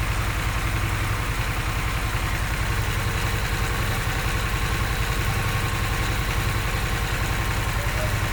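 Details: Harley-Davidson Sportster S, five months old, ticking/knocking after idling for a while: steady V-twin idle with a light, fairly regular tick riding on the low loping beat; source undetermined.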